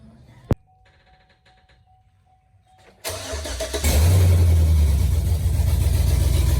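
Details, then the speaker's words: Chevy Tahoe V8 after installing Speed Engineering long tube headers replacing factory manifolds; cranks and catches, then quick even tick about four per second over idle from exhaust leaking past the header, a broken bolt remaining; exhaust manifold leak ticking. "so the heads are secure but there is air leaking past and it's causing a ticking sound which sucks it sounds terrible"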